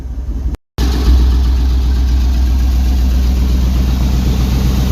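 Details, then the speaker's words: 1999 Chevy K1500 Suburban 350 (5.7) Vortec, new connecting rod bearings fitted after bad rod bearings, catalytic converters stolen, almost warm, about 30 psi oil pressure: loud, deep, even idle with a steady low beat and no knocking; a normal idle. "She's running. Somebody stole a cat, so this thing's pretty loud. But we got like, I don't know, it's almost warm. We got like 30 pounds of oil pressure. Sounds good."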